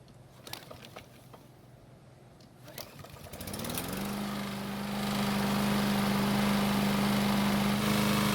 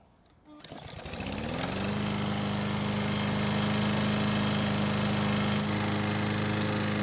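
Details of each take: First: Free walk-behind lawn mower engine started with flywheel brake bypassed by zip tie for testing: after a couple of pulls it settles into a fast, steady drone, running faster than normal and sounding tired. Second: Lawn mower that wouldn't start, after cable repair, oil change, blade sharpening and clearance check: a steady, even single-cylinder putter at constant governed speed; it runs smoothly and sounds healthy.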